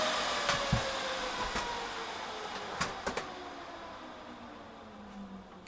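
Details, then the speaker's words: HP DL380 G7 server with two of six fans removed for a worst-case demo: loud steady rushing roar with high whine slowly easing; remaining four fans race at full speed to cover the missing ones. "as you can hear it gets very loud when it wants to"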